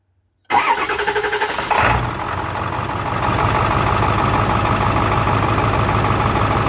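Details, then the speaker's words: 2002 Ford 7.3 Power Stroke with balance codes for 2, 4, 8 and injector code for 8, number 6 injector seal leaking: fires up and settles to a steady idle clatter, smoother on seven cylinders with number 8 unplugged; faulty injector was causing misfire. "and as you can tell it's running significantly better and uh you can see number six which I have no Coates for just squirting little right at the turbo but with number eight disconnected it's running on all seven"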